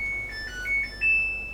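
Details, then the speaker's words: Dryer after repair and reassembly, at power-on: short, bright electronic chime of a few clear high tones. Control board alive and working normally. "I hear that startup chime."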